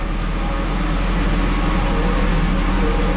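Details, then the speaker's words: Cheap Jaguar, 220,000 km, little used for a couple of years, dusty: fires straight into life, smooth steady low hum, no knocks or misses, oil pressure came up nicely; normal idle. "And let's see if it starts. All the warning lights come on, everything. And fires right into life."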